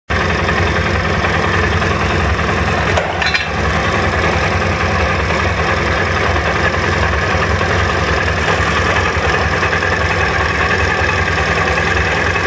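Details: SMC 250 at idle with a constant light metallic rattle over the engine beat; the chain is rattling.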